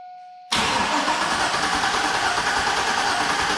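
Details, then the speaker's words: 2002 GMC 2500 HD 6.0L V8, 4WD, auction truck with suspected fluid in a cylinder, ignition relay pulled so no spark: starter turns it over at an even quick beat, no hitches or drag; suggests similar compression in all eight cylinders. "oh that's a successful test it cranks over well it uh it sounds even I don't hear any like G or limps so I'm going to assume we've got at least similar compression in all eight cylinders"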